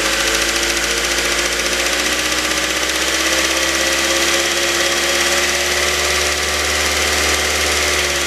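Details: 2006 Mazda 3 BK 2.0, LF engine, 150,000 km: even idle with a loud hiss and a high whirring over the engine, no clear knock. Abnormal engine noise, cause not identified.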